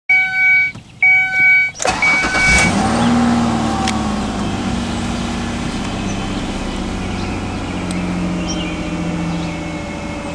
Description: Here is a 2001 Ford Escape with a erratic, bad idle. Check engine light is on. It has the 3.0 V6 Duratec engine.